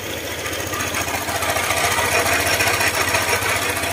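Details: Honda ADV150 at idle, noise from the engine that another shop blamed on crankshaft side bearing; tensioner checked: fast, even clatter about three ticks a second over the idle, from excessive valve clearance and a worn camshaft.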